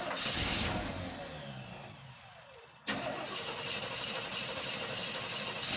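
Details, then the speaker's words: 1985 Chevy C10 V8 after carburetor replacement, primed: quick crank, catches cleanly and settles into a steady even idle without stumbling or misfire, no leaks. "well it seems to be running there we go finish it up no leaks by the looks of it"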